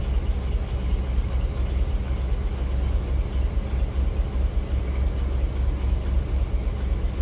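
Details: 1987 Chevy K5 Blazer with TBI, cold idle shortly after startup: a V8 rumble that stumbles unevenly as the tach jumps with a slight misfire, which ends after a couple of minutes warming up. Finding: cold idle misfire.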